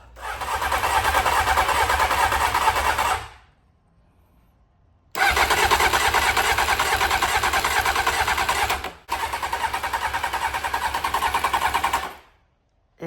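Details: 1992 Honda Fireblade under restoration with a brand new fuel pump that is not running: three long bursts of steady starter cranking at about three turns a second, never catching. It cranks but won't start.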